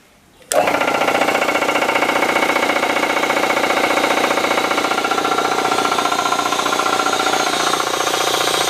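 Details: Air compressor after temporary repair of the tank's one-way check valve, which caused the air leak under the pressure switch: kicks on and settles into a quick, even chugging about three to four a second; normal running.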